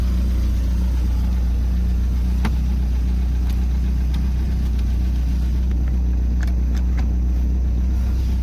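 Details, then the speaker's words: Carbureted boat engine started without choke, running on a water hose, warming up, throttle returned to neutral for slightly lower idle; steady low, even rumble with no stumbles, knocks or surging; normal idle, running good. "also can't jolts throttle I feel like this slam it back in neutral little idle a little bit lower but this isn't bad it's running good"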